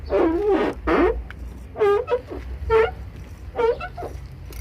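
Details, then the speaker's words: VW Gol G5 car door, the side with the louder noise, before grease is applied. Five or six loud rising-and-falling creaks, about one a second, as the door swings: door hinge squeak. "vamos nessa daqui que é o onde o barulho tá bem maior"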